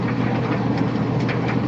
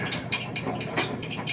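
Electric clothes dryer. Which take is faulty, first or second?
second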